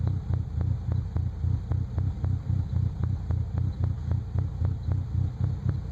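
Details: 1998 Nissan Frontier at idle: an uneven, loping idle with a heavy low throb and sharp ticks close to four per second. The engine idles rough.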